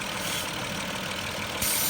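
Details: Mazda/Ford 3.0 L V6 idling with a vacuum leak from intake elbow hoses gone soft and collapsed (fuel trims read positive). A constant airy hiss sits over the steady engine note.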